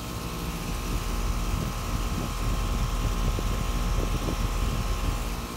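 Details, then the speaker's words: ICP air handler system, condensers filthy dirty, running after X-13 blower motor replacement; a steady, even low hum with a soft fan whoosh and no rattles or squeals; they run pretty good, normal operation. "tell you these things filthy dirty but they run pretty good"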